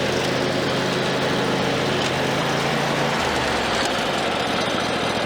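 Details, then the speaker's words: Mower after welding the cracked deck and refitting a blade spindle ripped out by a tree root: engine runs steady with a rough scraping rasp over it as the blade catches the underside of the worn, totaled deck. "So yeah, I'm finished up with the mower. It worked. I did hear the blade doing some self-clearancing under the deck."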